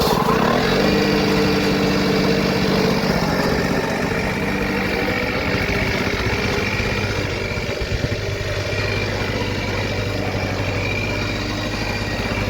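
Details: 1979 Lawn-Boy two-stroke mower, revived after 20+ years sitting, cutting grass: steady, even two-stroke buzz holding speed under load, no misses or surging; running healthy.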